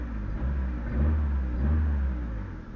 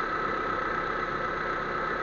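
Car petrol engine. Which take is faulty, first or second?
second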